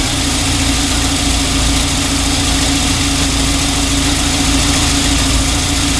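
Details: 1994 Volvo 940 Turbo wagon near 200,000 miles, idling after new fuel injectors and a new fuel filter fixed a misfire from an intermittently firing injector. A steady, even idle with a constant hum and no stumble, miss or tapping: healthy.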